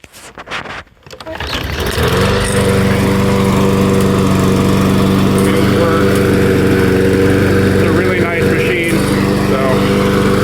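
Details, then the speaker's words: Troy-Bilt TB200 self-propelled bagger push mower, revived after failing to start this season: catches on the first pull and settles into a steady, even drone with no misses or surging. Everything works. "everything works great starts right up first"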